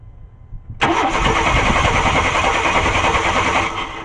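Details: 1994 Chevy Cheyenne V8 that died while driving: the starter cranks steadily in a rhythmic chug but the engine never fires, with no spark.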